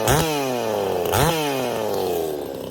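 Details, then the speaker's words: Craftsman S205 chainsaw, freshly ported, on its first start with the air filter still off: it fires and revs cleanly twice, a crisp rising buzz that settles back smoothly with no bogging or misfire. Normal, healthy running. "Well, there we go. She's running. Sounds good. Sounds real good."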